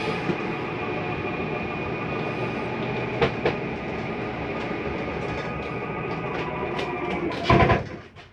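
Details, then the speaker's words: Normal slide-out retraction in an Open Range 2710RL RV: steady motor drone as the room pulls in, then a short clatter at full travel as the mechanism stops itself from coming in further; nothing wrong. "to hear that noise it's just a slide mechanism telling itself not to come in any further"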